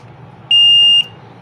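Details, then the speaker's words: LG front-load washing machine, PCB under repair with the pressure sensor removed: long shrill beeps repeat about half a second on and off without start pressed, a PE error for the undetected pressure sensor. "तो जब भी pressure sensor detect नहीं होगा तो PCB को आप command दीजिए start होने की या ना दीजिए।"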